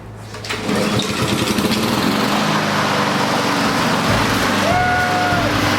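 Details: Honda HRR216 push mower started after drive belt replacement, with the fuel turned back on. It fires within a second and settles into a steady, even, high-pitched drone with no misses or knocks: normal running.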